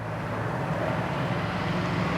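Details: 2004 Jaguar S-Type V8 that had a misfire on cylinder five, after replacing all eight spark plugs and coil packs, revved: even, steady rumble with no stumble or skip; misfire gone, engine runs smooth and clean.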